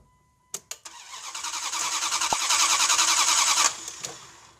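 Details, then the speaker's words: 1998 Dodge Durango 5.2L V8 with a crank-no-start fault, during spark testing: the starter cranks steadily at about three beats a second, but the engine never fires or catches. "a 5.2 L V8. And we have a crank, no start."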